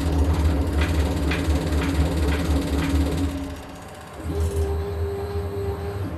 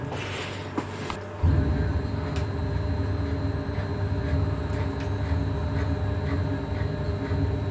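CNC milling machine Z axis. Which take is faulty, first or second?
first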